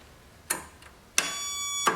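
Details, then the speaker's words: Old Dynamark tractor with opposed-twin engine, pulled from scrapyard, engine not seized: after fitting a battery, three sharp metallic starter solenoid clicks about two-thirds of a second apart while the engine never turns over; test light then checks power at solenoid. "okay I got the battery in and I can hear the solenoid clicking"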